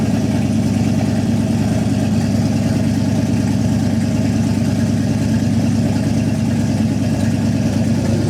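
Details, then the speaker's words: Boost-ready 5.3 LS V8 in a Nissan 240SX (S14) on E85, first cold start after reinstall: deep, even burble holding steady idle, no tapping, misses or knocking; healthy. "oh baby she sounds good we'll go ahead and put it through the gears make sure everything's happy there"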